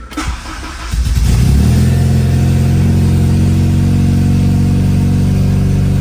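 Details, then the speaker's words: K24-swapped DC2 Integra on eBay harness: cranks, catches after about a second, settles into steady even idle with deep exhaust note; running really well; normal start and idle. "But overall, it's running really good."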